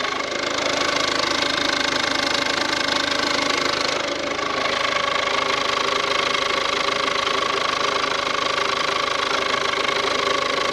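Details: Ford Courier (Peugeot/Citroen engine) idling after timing belt and water pump work: a fast, even tick about 220 per minute over a hissy whirr. Source unknown; fan belt, water pump or alternator suspected, with no timing-belt marks seen.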